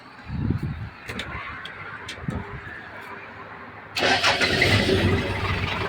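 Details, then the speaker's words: Hino KM 779 farm dump truck, 120 hp diesel: a few seconds of cranking, then it catches at once and settles into a steady clatter; starts easily, no smoke, normal healthy start. "เครื่องดีนะครับตัวนี้เป็นเครื่อง120แรงฟังเสียงเครื่อง"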